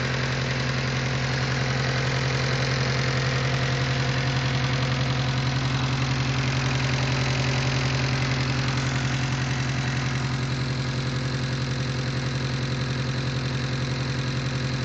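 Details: Mitsubishi Eclipse 4G63T four-cylinder engine idling: steady, even tick-knock about two beats a second; owner unsure whether lifter tick or spun bearing.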